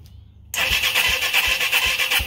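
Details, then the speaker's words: Reverse trike engine not started in 10 years, fed from old spare tank, carburetor uncleaned: fires and catches, running on with steady loping beat and bright valve chatter; healthy start. "That sounds like it's wanting to go."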